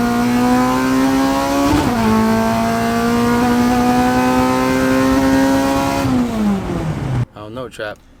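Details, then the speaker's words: Honda with Hondata ECU on dyno, full-throttle pull after an ECU reset (unplugged and replugged): revs climb smoothly through VTEC, strong and steady, falls off cleanly with no stutter or popping; earlier VTEC misfire no longer heard. "that felt kind of good it's just we had a little after the pull i don't know if that's either i think the tools got to get finished getting cleaned up yeah but we're not hearing that misfire no more when vtech kicks that was definitely noticeable"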